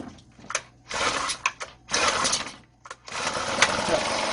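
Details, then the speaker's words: Small two-stroke chainsaw/trimmer engine started with the choke left closed instead of lowered: it fires in ragged bursts and dies, running too rich with the air path shut. "Vì cuộn cảm không được hạ xuống, động cơ bắt đầu tắt mà không có điện."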